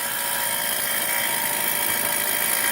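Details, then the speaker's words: 2001 Dodge Grand Caravan after transmission and torque converter reinstall: constant high-pitched drill-like whir over faint idle, seemingly from top of engine, absent before the work; owner suspects the starter, source unclear. "not sure what it is the sounds like is coming from the top of the engine but I'm also thinking that it might be my starter that's bad"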